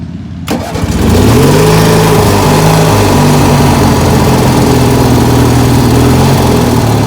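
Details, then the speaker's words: Ford YT16 riding mower under restoration, now starting off the key again: starter catches within a second and the engine settles into an even, steady run with no misses or knocks. Normal start and idle. "anyways yeah it needs work still but we got it running and starting"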